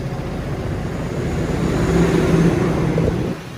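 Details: Vespa Sprint 3V (Tri/3V engine) automatic scooter, about 36,000 km, at idle: a steady single-cylinder putter that swells briefly and drops back, slightly coarse. This is normal for the 3V engine and CVT, not a fault.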